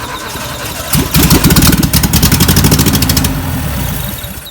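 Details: 1958 VW panel bus, sitting for 50 years, after the no-spark problems were fixed: the engine catches after about a second, then holds a steady air-cooled putter before fading out; it fires and runs properly.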